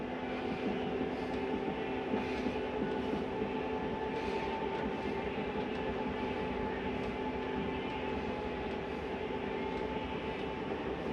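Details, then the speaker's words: Flagstaff 8528BHSS travel trailer slide-out retracting, heard from inside: steady geared-motor drone with constant pitch and no grinding or clunks, and a normal end-of-travel noise as the slide stops itself; normal operation. "Comes in rather smooth. Nice and quiet too. When you hear that noise, it's okay to hear that. That's the slide telling itself not to go any further."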